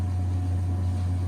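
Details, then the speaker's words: Gas boiler firing after repair, reassembled and restarted with supply at 181°F; combustion test confirmed safe burning. Constant low hum with steady burner roar, no pulsing, rattles or squeals: normal boiler operation. "Okay, so we are up and running."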